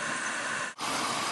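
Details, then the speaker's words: Engine deliberately over-fuelled by injecting propane through the fuel pressure regulator's vacuum source. It drones evenly, then stumbles and recovers from the very rich mixture, while the O2 sensor fails to report rich and short-term fuel trim keeps adding fuel. "Now I'm adding enough fuel that you can hear the engine stumbling. It's getting very, very rich, but this oxygen sensor is not reporting it, and the short-term fuel trim is still adding fuel."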